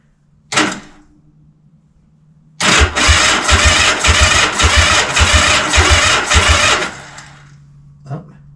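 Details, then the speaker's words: Honda CB450/CB350F project on a freezing January day, first electric-start attempt on the newly fitted muffler: about eight slow, labored chugs as the engine cranks but doesn't start, with rust puffing from the muffler. Weak battery; possible ground issues suspected. "It turns over slow, but it does turn over."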